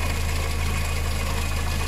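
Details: Engine with timing chain, idling: a light, quick tick over the hum with the chain quiet. Hydraulic lifters tick on water-contaminated oil from an early-stage head gasket failure with slight overheating. Fix is a head gasket change; chain and camshaft stay in place.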